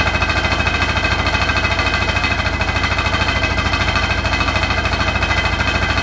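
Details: Hotpoint NSWR843C washing machine on final 1200rpm spin: a hard, even rattle of about three knocks a second over the fast spin roar; the cause of the loud rattle is unknown.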